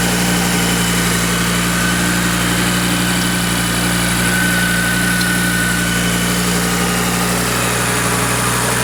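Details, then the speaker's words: Audi RS3 five-cylinder engine from a crashed Skoda, being fitted into an Audi RSQ3: smooth, even idle, steady low hum, no knocking or banging, ECU working; normal idle. "yeah nice sounds good engine sounds good no knocking no banging runs good ECU seems to be working"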